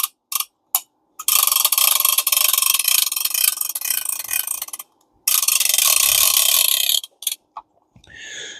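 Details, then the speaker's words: Vintage Alvey 40 C1 fishing reel after clean and lube: bursts of rapid, crisp clicks as the spool turns, then stop; the switchable ratchet and anti-reverse are working, and the reel is slightly tight; normal ratchet clicking. "you can cut the ratchet off so you don't have to listen to that well still got a little that's the anti-reverse you can cut that off"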